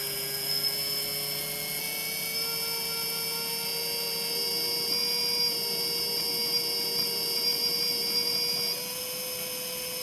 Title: Bad bearings